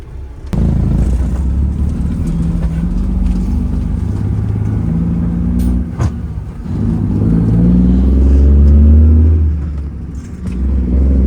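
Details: Peterbilt semi truck with Detroit diesel and upgraded turbo, loaded and hauling, pulling hard in high gear with strong low-end boost and low EGTs; deep steady drone climbing smoothly with no clatter or whistle: normal running under load.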